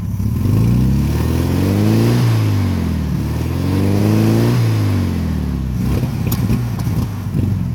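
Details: 1972 VW Beetle 1300: engine revs up and falls back twice, then idles with an uneven, stumbling chuff; misfire, cause not pinned down.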